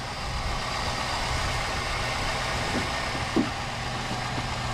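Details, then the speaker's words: Engine with a stone-dead battery started using a GOOLOO GT4000S jump starter in boost mode; steady even idle with no stumbling, just a brief handling knock, runs fine. "but this was a a stone dead battery and the Gulu work"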